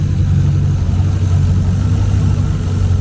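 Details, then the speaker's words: GT40 V8 in a Nautique boat, started cold after priming to 40 PSI with spark confirmed, idles with a deep, steady rumble, even firing, no misses or surging; normal cold idle. "starts up just fine cold and we got ourselves a spark runs just as it"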